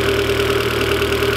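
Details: Turbo 1.8 20v petrol engine: smooth, even idle with a steady hum and no misses, knocks or surging; running as it should.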